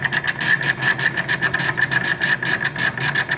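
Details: Daewoo refrigerator evaporator fan motor: rhythmic ticking scrape about four times a second over a thin high whine; the noise had returned after a cleaning a year earlier, and the worn motor needs replacing.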